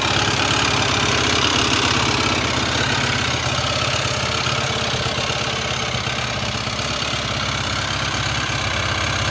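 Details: YFZ450R single-cylinder engine at idle with a rhythmic tapping, about three per second, layered over it; an odd noise with no clear cause. Abnormal engine noise at idle.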